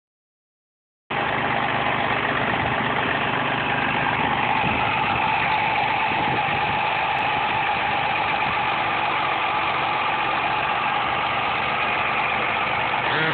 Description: 2.5 V6 atx cougar making weird noise from engine.